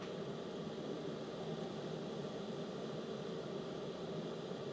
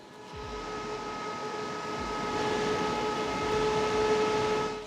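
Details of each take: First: DJI Power 2000 exhaust port while outputting 1,722 W. Smooth steady rush of air with no tonal whine or rattle: normal cooling fan under load. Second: EcoFlow Delta 2 Max power station with the mic held just off the intake vent. A constant high-pitched cooling-fan whine sits over a soft airflow hiss.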